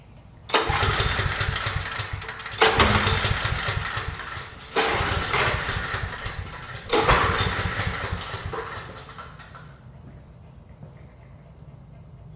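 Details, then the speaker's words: Briggs & Stratton 5500-watt generator cranked with fuel in the tank and flowing to the carburetor, spark plug also suspected: four cranking bursts about two seconds apart, never fires. No-start. "Generator is not cranking. So, we're going to figure out what's wrong with it."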